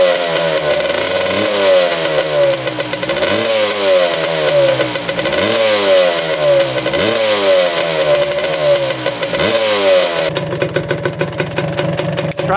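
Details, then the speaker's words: 1985 or 1986 Suzuki LT250R two-stroke quad, no power valves: restarted after dying when choke came off, rising surges then ragged popping idle ready to stall; owner suspects it needs carb clean and fuel change. "idle there we go idling a little bit sounds like it wants to die yep there she goes"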